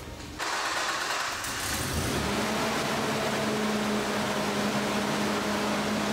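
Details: Nissan Pathfinder after radiator replacement and coolant refill, with the clutch fan removed for e-fans: first start and test run to circulate coolant. It settles to a steady, even idle with a smooth low drone and no knocking or squeal. Normal idle.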